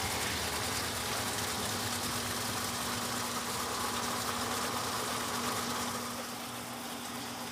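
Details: Electrolux LTC15 top-load washer on the stain-removal program washing sneakers, final spin after the tennis shoe knocked the basket; even whooshing spin with steady low hum, no knocking, scraping or grinding: normal spin cycle.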